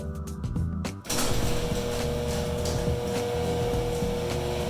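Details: Genie IntelliCode screw-drive garage door opener after replacing a stripped carriage and lubricating the screw rail. It starts and runs with a steady, even motor hum, no grinding, over background music: normal operation.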